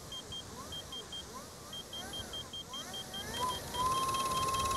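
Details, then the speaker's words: King Song S22 electric unicycle after landing stress test for stator slippage, wheel lifted: faint smooth motor whine rising with speed and soft swish about twice a second from the tire rubbing the new mudguard; motor normal, no abnormal noise. "this noise is just uh it's a tire yeah the new bug guard yeah"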